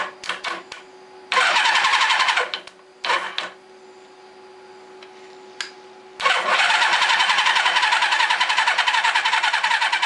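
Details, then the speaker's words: Suzuki GS850 motorcycle, sat outside over 10 years, cranked with brake cleaner sprayed in: starter churns in short quick bursts, engine never fires; cranks but won't start, spark too weak. "Nope, there's just not good enough spark here"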